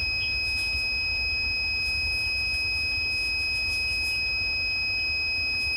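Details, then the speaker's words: Tormach PCNC440 tool changer low-pressure switch being reset after set point drift: steady unbroken multimeter continuity beep, switch contacts still closed as air pressure is raised from 80 toward 85 psi. "there it goes so the multimeter is gone off so what that tells the tool changer is that 80psi is low pressure"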